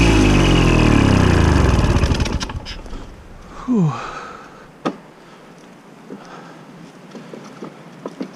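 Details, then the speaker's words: Victa Super 24 / Super 600 70-series two-stroke mower, carb split and cleaned, fresh fuel, first mowing in years: the note sags and slows over two seconds, then cuts out. It ran out of fuel after a 500 ml fill and 1–2 test runs. "Anyway, I reckon that was fuel finally running out. So when I filled it up, I only had 500 ml of fuel in there, and that's with it, like 1 or 2 test runs."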